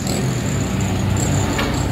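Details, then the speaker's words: Honda Wave 100 after carburetor cleaning: a steady, even engine note with no misses, pops or stumbles; normal running, misfire and backfire cured. "Ayos na. Pwede na raw siya bumamba uli."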